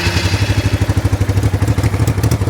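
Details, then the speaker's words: 1988 Honda Bros 400 V-twin, brought in for rewiring, started easily despite weak battery: steady, even low idle thump right after start, no misses or clatter; slight over-rich fuel smell noted, carb main jet 100; running healthy. "Ayos pala no. Eyful start pala eh. Madali ng i-start. Nakataas na. Madali lang i-start. Maganda."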